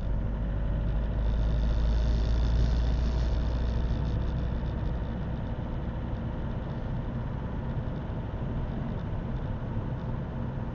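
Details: Opel 1.7 CDTI Z17DTJ diesel with Denso injectors at cold start: rattles about three knocks a second over a heavy low drone; quiet once warm, no error codes; faulty injector replaced to cure the tractor-like knock.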